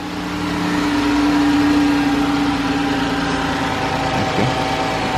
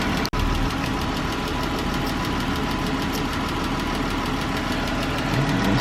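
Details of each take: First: 2013 Chrysler 300 with the 3.6 L engine, after repair of a lifter-like ticking: smooth, even idle with a steady hum, only slight remaining tick, and the valvetrain quiet. A normal idle. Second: 2013 Chrysler 300 3.6L V6 at idle, quick light lifter-like ticking keeping pace with engine speed, louder on driver side than passenger side.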